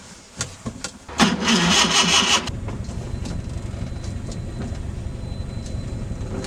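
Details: Old Skoda 120 that died in a parking lot: the starter churns quickly for about a second, then only a steady whirring drone continues and the engine never catches.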